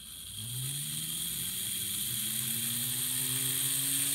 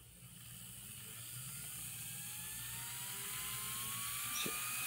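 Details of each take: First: Atlas/Kato GP30 N-scale locomotive mechanism (mid-1990s), tested on its own: tiny motor spins up with a rough growl under a thin high whine, pitch climbing with speed, a noisy mechanism. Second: N scale model locomotive mechanism (LifeLike GP20) run on the bench at about 12 volts: soft hum with a faint, slowly rising whine, smooth and quiet.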